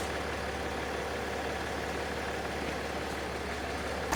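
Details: Land Rover Discovery 4 3.0L SDV6 diesel, loud rattle addressed by replacing auxiliary belt and tensioner: steady even idle with smooth low drone and no rattle or chatter; normal, healthy idle.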